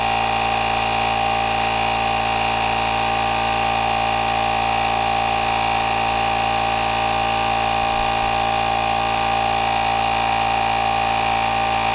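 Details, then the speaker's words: NovSight G5 jump starter's tire inflator filling a tire from 8 PSI to 40 PSI, cooling fan running: steady, unchanging buzzing drone from compressor and fan, no surging or rattles; reached 40 in about 18 seconds, unit slightly warm. "So, I'm just going to hit on. And we're going to let it go. And it does have a fan right here. As it pulls air in, it keeps the unit cooler."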